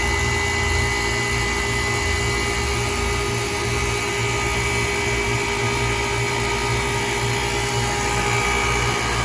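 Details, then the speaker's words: Old KKT chiller running normally after contactor replacement: steady compressor and fan hum with constant high whine, no rattles, knocks or cycling. "so i'm going to shut up right now and for the last remainder of the video just let you hear the sweet sounds of this killer operating"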